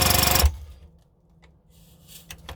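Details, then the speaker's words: Classic Army HPA M132 airsoft microgun, after all air leaks were sealed, fired with no ammo: crisp half-second burst of rapid, evenly spaced air pops, then silence, no leak hiss. Normal firing cycle. "i'm just going to show you it firing he's got no ammo in it so but you can hear it you can hear the air coming out of that firing through the"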